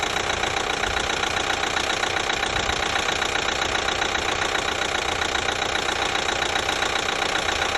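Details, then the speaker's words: 2012 Chevy Equinox 2.4L petrol, warm idle after a timing chain replacement: steady fast ticking appears once warming up and is silent when cold; sounds like the high-pressure fuel pump but that pump is brand new, cause unknown. "almost sounds like the high pressure fuel pump is making the noise but it's not it's actually a brand new pump it's still there"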